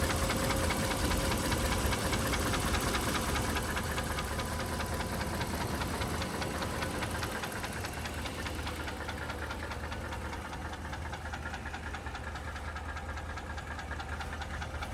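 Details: 2012 1500 with a 5.7 Hemi V8 at idle: a steady, sharp tick of two to three beats a second over the engine hum, suspected as either a lifter tick or an exhaust manifold leak, undetermined.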